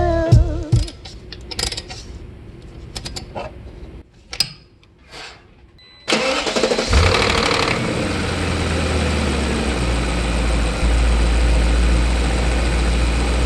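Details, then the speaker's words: BMW E39 engine after replacing spark plugs and the cylinder 2 ignition coil to cure a cylinder 2 misfire (cam position and MAF sensors replaced earlier): starts and settles into an even, steady idle, vibration gone; smooth idle after repair. "아 뭐 호일 문제가 맞았나 봐요 엄청 부드러워 집니다 폴 그렇게 하니까 진동의 다 사라졌어 흄 엄청 부드러워요"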